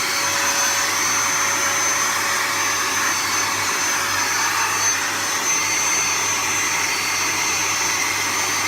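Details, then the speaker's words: Henry vacuum cleaner switched on after a repair and reassembly: an even, steady high whoosh from the motor at constant pitch with no rattle or scraping, judged to sound pretty decent and running smoothly. "now that sounds pretty decent tonight"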